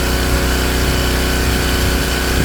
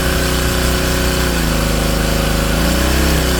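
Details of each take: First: King Canada Powerforce 1500W generator, heating load at maximum heat on its low setting, governor responding: small engine holds steady even drone without hunting under heavy electrical load; normal running under load. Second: King Canada Powerforce 1500W generator, rated about 1200 W, pushed toward full 1800 W load: loud drone drops in pitch and wavers unevenly, bogging; engine lugging under overload beyond its rating.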